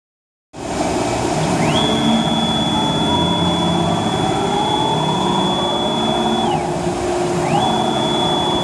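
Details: Techno CNC HD-II router moving the gantry in Y: steady rushing mechanical noise with a high whine that climbs, holds and drops, apparently from the ball nut/lead screw, worst near the center; bearing fault unconfirmed.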